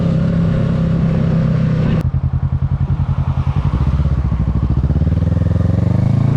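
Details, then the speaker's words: 2022 Kawasaki Ninja 650 ridden with the windscreen removed: pulls hard then throttles off into a steady popping beat, no buzz or rattle from the fairing, confirming the windscreen caused the vibration; no fairing rattle. "Okay, so as y'all saw in the video, like I said, no fairing vibration at all with the windscreen off. So we know for a fact that it is for sure the windscreen."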